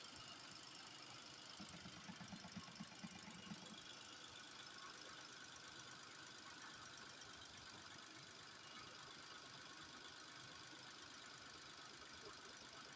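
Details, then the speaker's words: Nissan Almera after radiator cooling fan motor replacement and coolant top-up (no bleeding needed, system not fully drained): quiet even idle with steady fan whoosh, no knocks or misses; running normally. "เรียบร้อยเราก็ไปลองสตาร์ทรถดูครับเช็คดูว่ามันปกติไครับ"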